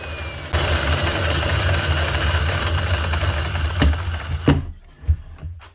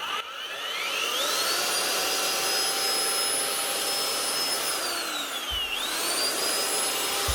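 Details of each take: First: Cement-encrusted Bosch GRW 12 E mixing drill, heavily used, runs rough and gravelly for a few seconds from worn-out motor bearings; it also has a loose whisk. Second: Bosch GRW 12 E mixing drill after cleaning and replacing four bearings plus a needle bearing (previously bad bearings, loose whisk): clean whine rising with trigger, steady, dips and recovers with no rumble or grind; sounds like new.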